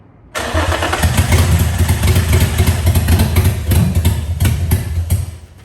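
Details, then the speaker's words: Nissan 350Z drift car with a replacement engine, first start: catches abruptly, runs rough and loud with uneven low pulsing for five seconds, then dies as the residual fuel runs out. "I kind of dig it, actually. Sounds crazy. Hold on. That should have been all the fuel right there."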